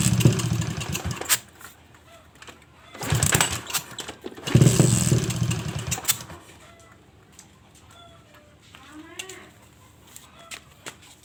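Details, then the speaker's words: Suzuki Shogun motorcycle modified trail-style for heavy loads: engine catches in short bursts and dies right after starting, even with choke closed, as if fuel not flowing; bogs when throttled; owner suspects carburetor main jet clogged; fuel starvation. "Bila di starter tidak bisa langsung hidup, walaupun ini ditutup mau hidup tapi langsung mati, seperti bensin tidak jalan."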